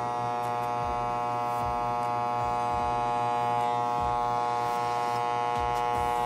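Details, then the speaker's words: Hair clipper after repair of the cord ground connection that made it cut out when the cable moved, cutting hair: a steady bright buzz with an even hum, small regular dips as it bites; the clipper runs smoothly. "question about our hair clipper it's in perfect condition let's try it with my hair"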